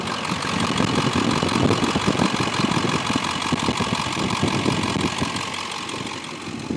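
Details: 2002 Ford F250 with 7.3 L Powerstroke diesel, four-speed automatic, Banks exhaust, factory idle unmodified: steady, even diesel rumble with gentle chatter, no knocks or misses; idles fine.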